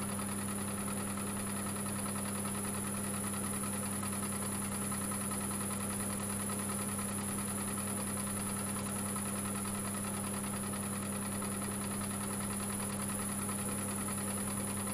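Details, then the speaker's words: Stratos FU-230 woodturning lathe turning a large platter outboard; steady motor hum with light, somewhat uneven clicking, about three a second, coming from the chuck, cause not confirmed. "I've just noticed the clicking, it's coming off my chuck."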